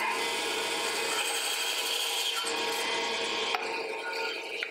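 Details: Wood-cutting band saw cutting a rounded piece held against the miter gauge: steady high rasping hiss as the blade bites through wood, no knocking or rattle; normal cutting.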